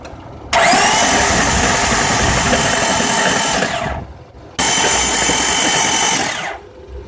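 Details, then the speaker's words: 2000 Honda Odyssey driven through 3 ft of floodwater, spark plugs out and fuel cut off: two long cranking bursts with a harsh hissing spray as water is expelled from the cylinders; no gasoline smell, and the flow is lessening. "I don't think I'm smelling any gas off of it, so I'm pretty sure that what it is expelling is water."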